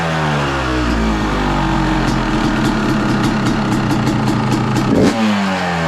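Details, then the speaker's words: 2023 Yamaha YZ250 two-stroke with new Boyesen Rad Valve, on stand at freezing temperature: cold idle on choke, steady crisp even burble with no hunting or surging, not revved; healthy cold idle, sounds crisper, jetting untouched. "so I don't want to go revving on the bike. It's just idling on its choke."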